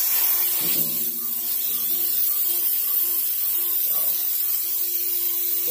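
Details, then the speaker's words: M939 series military truck air brake system at max pressure: steady thin hiss of escaping air bleeding the wet tank down; leak traced to a bad treadle valve, which was then replaced. "so what you basically would do is if the air pressure get max pressure and then see if you hear that the KN 23,000 doing that little hissing the little honking noise to get air come by"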